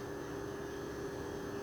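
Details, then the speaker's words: Original Xbox, TSOP-flashed, that had shown errors 13, 16, 21, reassembled after repair: powered on, drive and fan spin up to a quiet even hum and hold steady with no ticks or grinding; sounds healthy, then boots. "But I can hear everything spinning up, I can hear the hard drive, all that stuff."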